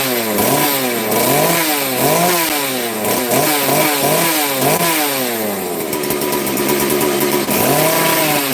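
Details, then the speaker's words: FarmMac F380 or F660 (Stihl 066 clone) two-stroke chainsaw, started on full choke, revving up and dropping back repeatedly, crisp and responsive with no bogging or misfire; sounds a little better than before, smoky, running fine. "no that sounds a little better before all Smoke's going to make me cough"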